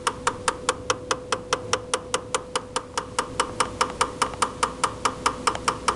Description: This is the sound our recently purchased GE Refrigerator makes. The sound lasts for up to 2 minutes and does it nearly 2-4 times daily and comes from inside the upper-back left-side of the freezer area.